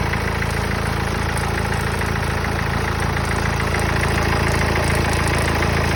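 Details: Mercedes OM651 diesel at steady idle with an even, rapid tapping about three to four times a second on top; engine noise at idle, source unclear.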